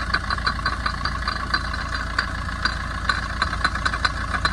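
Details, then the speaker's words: 2011 Tata Vista diesel, 124,000 km, idling: sharp metallic clicks several times a second over the engine; intermediate drive shaft bearing housing completely broken, not the timing chain. "Friends இந்த noise எங்கே வருதுன்னா இந்த try ஷாஃப்டோட இன்டர்மீடியன்ட்டு இங்கே பாருங்கள். இந்த இன்டர்மீடியன்ட்டோட housing பாருங்கள், சுத்தமாக உடஞ்சி போயிட்டுருக்கு."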